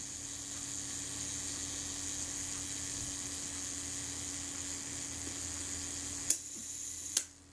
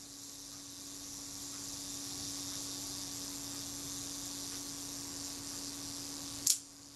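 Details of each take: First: Kodak Retina Reflex S / Voigtlander Bessamatic M shutter after cleaning the gear train and self-timer; steady high whirr runs smoothly for six seconds, then two crisp snaps as the shutter fires; self-timer runs down properly. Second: Camera shutter after cleaning retard gear train and self-timer: thin steady buzzing whir about six seconds, then one sharp shutter click; self-timer still sluggish, not running correctly.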